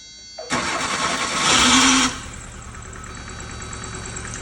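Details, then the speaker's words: 2006 Hyundai Getz with no-crank complaint, starter triggered directly via power probe on relay coil: brief steady whir, engine catches at once, smooth idle; starter motor is fine. "startar direkt. Så problemet är inte med startmotorn."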